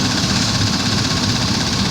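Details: Chevrolet Tahoe 5.3 V8 after replacing a leaking, squeaking water pump: steady, even idle with a smooth low rumble and no knocks or ticks. Temperature is normal and the engine runs healthy.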